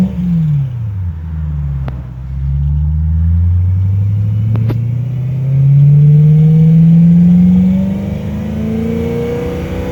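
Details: 2008 BMW E90 M3 revving up and down: deep droning rumble with rough clatter as revs climb. Unusual engine noise; owner doubts rod bearing issue and suspects a possible exhaust leak, unconfirmed.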